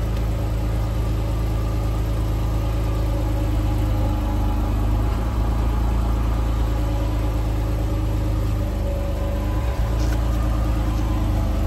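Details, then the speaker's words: Lifted Jeep JK with Dana 44 rear axle and Revolution 5.13 gears, wheel spinning: steady, even low drone with no whine, hum or clunk; normal axle operation, used for comparison with a noisy Jeep JL axle. "so just for curiosity's sake i did the same thing with my buddy's jeep got his lifted up he's got the same exact gears 513s revolution same brand everything in a dana 44 it's just on a jk no sound"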